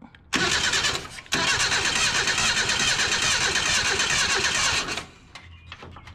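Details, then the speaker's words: Junkyard 1977 Datsun 710 wagon: the starter spins the engine steadily for about four seconds without a single firing stroke. No spark because a plug wire had fallen off the distributor cap. Crank, no start. "no spark we didn't have no spark because that plug wire wasn't even on the cap it had fell off so let's try again"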